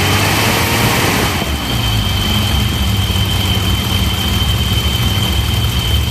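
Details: BMW E34 with M30B35 petrol straight-six, started and revved slightly during a fuel pressure test with the vacuum leak present; thin steady whistle above idle. Fuel pressure 3 bar, not rising with revs.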